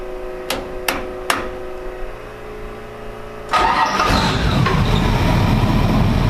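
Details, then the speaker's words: Tide Car carbureted engine on its new fuel system (Carter 50 GPH pump, 3/8 line), with a ground strap added and the MSD box grounded: three clicks, it fires at about 3.5 s and settles into a steady, smooth rumble with AFR around 14. Normal start and idle. "it is running on the new fuel system but really smooth too i also added that ground strap over there and i grounded the msd box so it should be running even better than it was before"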